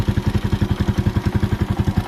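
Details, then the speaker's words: Motorcycle idle screw deliberately turned up too far on a warm engine: fast, even thumping with no dips, as if revving on; idle set too high and needs turning down. "Pag ganyan naman na yung idle mo, hindi naman maayos pag ganyan. Okay? Parang didiretso na siya."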